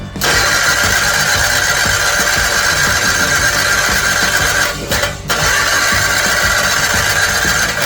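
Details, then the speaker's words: First start after 18 years on a 50-year-old garden tractor being turned into a dragster, after rewiring; a broken spark plug piece was found earlier. Harsh, clattery cranking with a brief dropout: very rough, and the starter is engaging poorly. "She sounds really rough. The starter is engaging funny down there."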